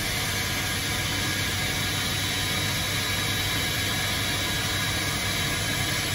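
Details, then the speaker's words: TFE731 turbofan, right engine on a corporate jet, after repair of a start sequence cutting off at 4 to 5 seconds: a steady, even roar with a faint high whistle and no surging or popping; the engine lights off and runs cleanly. "time for right inine start area is clear starter engaged in 3 2 1"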